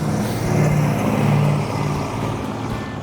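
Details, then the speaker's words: 1972 Dodge Charger Rallye with a 318 V8, restored, blipped on the gas: low V8 rumble swells and eases with throttle, no clatter or misfire, healthy running. "wow that looks new i think it sounds good it does sound good yeah but it was cool the car did perform well the car ran good"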